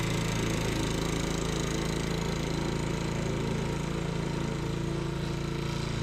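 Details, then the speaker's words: Sears Eager One lawnmower, Tecumseh single-cylinder, after makeshift connecting-rod knock repair with beer-can metal, throttle halfway: steady even chug at fast idle, about four beats a second, no knock; normal running. "But as you see, I was successful putting in that beer can metal. No more knock. You gotta love that."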